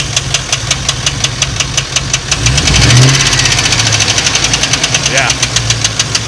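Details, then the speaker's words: Turbo street truck with BTR Stage 2 truck cam (~5000 miles on cam): heavy regular knock about three per second over idle, swelling with revs; started as morning tick, worsened all day with fading oil pressure; owner nearly certain spun/thrown rod bearing. "this noise started this morning it's gotten progressively worse as the day has gone on 99% certain killed a robbery"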